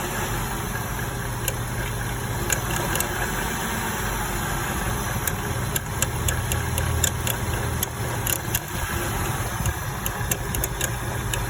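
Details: Porsche 986 Boxster, engine warm: steady idle with a fast, light clicking tick over the low hum; owner says clicking only starts once warm, cause unknown.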